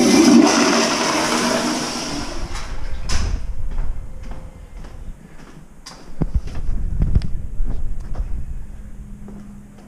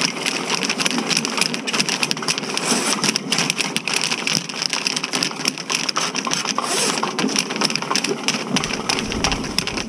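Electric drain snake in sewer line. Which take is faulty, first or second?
second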